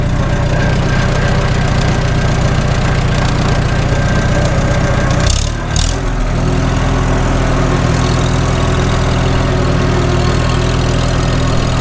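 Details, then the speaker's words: Farmall H tractor after cylinder sleeve repair, warmed to operating temperature, on a road drive under load; steady deep low-speed chug with even beat, no knock: normal running under load. "Sounds good. Engine, I mean. We're up to temp. Make her work a little bit."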